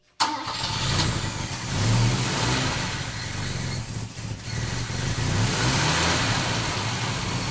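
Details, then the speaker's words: 1969 Volvo 164, first start of the freshly rebuilt carbureted inline-six with ignition at 16° BTDC: catches quickly and settles to an even, smooth run that rises and falls cleanly with throttle, with no knocks or misses; normal running. "uh sounds so good she's so quiet up there that's amazing"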